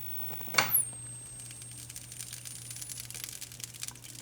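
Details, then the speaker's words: 25-inch K7000 arcade monitor chassis after repairs for blowing fuses: a click at switch-off, then a thin high squeal that drops quickly and holds, which the repairer suspects is the flyback re-energizing; discharge noise at switch-off. "It's doing that noise. Did you hear that? It sounds like the flyback re-energizes, or the I've heard that before, but I can't recall if that was an actual issue or what causes that."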